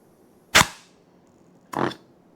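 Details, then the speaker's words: ZF power shift transmission drop box from a JLG 1055 telehandler, rebuilt clutch with new piston and parts: three sharp air-blower blasts into the apply port, each with a crisp snap as the piston strokes; applies cleanly, no leaking. "So a jammer with a little bit of air pressure and that will fill the cavity in behind that piston. You'll see that piston come up and then we don't want it to be leaking."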